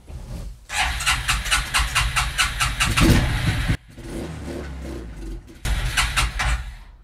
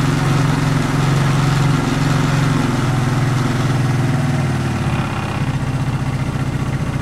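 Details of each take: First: 1994 Suzuki QuadRunner 250 4x4 ATV after years sitting, fresh fuel in the tank and fuel at the carb; cranks and runs a few seconds on starter fluid only, then stalls because it picks up no fuel; owner suspects the carb needle is stuck and plans a rebuild. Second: 1994 Suzuki Quadrunner 250 4x4 ATV single-cylinder, first start after sitting for years and a carb clean and rebuild: fast, slightly uneven idle, steady and running on its own. Still needs tuning; old spark plug still in.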